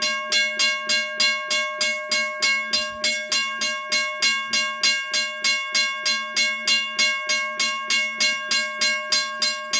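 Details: Western Railroad Supply (WRRS) Seaboard Coast Line mechanical crossing bell, probably around 60 years old, revived on a 9 V battery after sanding rusted parts and WD-40, first ring in over 30 years: bright, even strikes about three per second, working normally.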